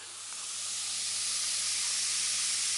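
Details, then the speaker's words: Kinter MA-200 four-channel amplifier driving Wolfdale Diamond 9.1 speakers, mic near speakers: constant loud hiss from switch-on, steady, no signal playing; owner suspects the filter capacitors need replacing, not confirmed. "it's something that you'll hear straight away as soon as you switch this amp on is the hiss"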